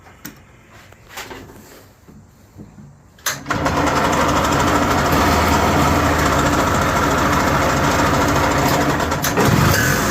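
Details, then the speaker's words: Yamaha G1 golf cart (circa 1979–81): a few clicks, catches at once and settles into a steady even putter, then shuts off as it should; normal start and idle. "It shuts off like it's supposed to."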